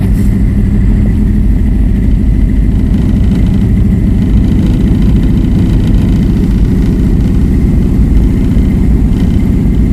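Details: 1984 Chevy C10 2WD short bed running after the transmission was reinstalled (flex plate had two bolts snapped and a loose one smacking the torque converter): loud, deep, even roar at steady speed with no knocks or rattles; running healthy.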